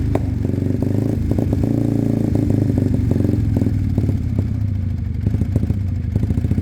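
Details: Sinnis Cruisestar with a new aftermarket exhaust, cold lumpy idle on choke: a sharp puffing tick at each firing pulse, as the pipe is loose and not sealed at the head despite shims.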